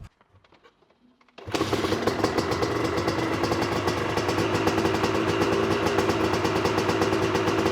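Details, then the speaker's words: Honda CR250 two-stroke supermoto with a Mikuni carb, revved: a ragged, uneven crackle that won't rev out at 3/4 to full throttle, sputtering rather than a lean bog. Owner is sure the main jet is too large. Rich main jet. "when I get to 3/4 in full throttle the bike will not rev and it's not a bog like a lean condition like I said it's it's as if it's sputtering out I'm sure the main jet is too large"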